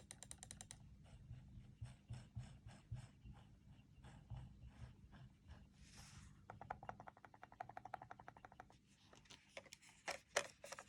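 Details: ProtoArc EM03 computer mouse in a quiet room: sharp, dry button clicks in irregular bursts, about three a second. Clicking noise, cause unknown.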